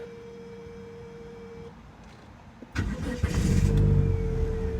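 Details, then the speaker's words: 2005 Dodge Neon 2.0L after replacing the Sentry Key Immobilizer Module: quiet ticking, then the starter catches quickly and the engine fires into a steady idle; started right up, everything communicating. "we go. Started right up. Everything's communicating well."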